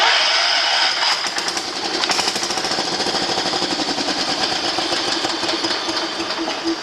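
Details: John Deere 210 garden tractor with a rebuilt carburetor, jump-started on choke, first start attempt in over a year: the starter chugs about three times a second but it never catches; it cranks without starting.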